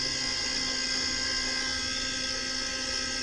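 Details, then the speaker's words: Walk-in cooler whose compressor was not running and tripping on overload, now with a super boost hard-start kit wired across the run capacitor: steady high whine over a soft hum as the compressor runs, drawing 5.5 amps, no longer tripping; sight glass low and flashing, condenser plugged. "You can hear the compressors running. There's my super booster wired into the run capacitor. My compressor's drawing 5.5 amps. We're no longer going off on overload."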